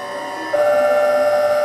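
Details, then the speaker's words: VVVF PWM induction motor drive chopping rectified three-phase mains DC, speeding up: a steady electronic whine snaps to a new pitch as the carrier-to-output ratio "gear" changes while the chopping frequency stays about the same; normal inverter switching whine. "So there we just changed another gear. Notice that the chopping still appears to be about the same sort of uh frequency, which is right."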